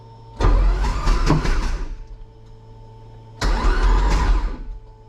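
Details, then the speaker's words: Toyota MR-S with fresh 1.8 20V turbo swap, in neutral, testing new starter motor: two short cranking bursts each opening with a sharp thump, then free spin-over without firing; owner unsure about the funny bang. "I heard a funny bang then hmm not sure about that well that's good news the engine spins over"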